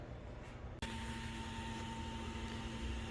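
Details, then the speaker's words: Honda-engined Lotus on Haltech Elite ECU, heard from inside the car with ignition on: steady electric fuel pump hum that keeps droning instead of priming and shutting off. "so i'm inside the car and uh if you can hear the fuel pump fuel pump is on um i told him i think i told him about this before too you know when the initia ignition is on fuel pump shouldn't always be on"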